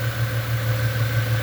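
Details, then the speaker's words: 1998 Ford Mustang, first start after about ten years sitting, warming toward normal temperature: smooth, even low V8 idle hum with no ticking, misfire or rough pulses; very smooth, quiet healthy idle. "that's how smooth that that motor's running very smooth very smooth that's so quiet wow"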